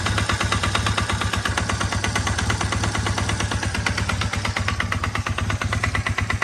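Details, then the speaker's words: Honda Rebel 450 idling with a loud, sharp knock about three times a second that follows the revs, after the valves were adjusted; source not yet found, owner suspects bottom end or cylinder head. "So I got the valves in order. Now I still have this horrible knocking."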